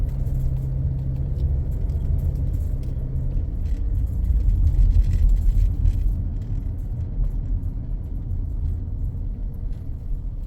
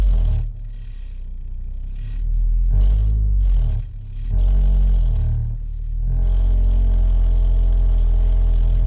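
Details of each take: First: 2014 Ford Escape after engine mount replacement, road test with wheels cut, maneuvering slowly: low, even engine rumble, none of the earlier noise, no clunks at full lock; quiet, normal operation. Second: 2014 Ford Escape (engine unknown), customer feared a transmission problem over noise reversing and turning; accelerating forward: deep rough droning rumble swelling with each throttle push, engine shaking against the body; broken engine mount.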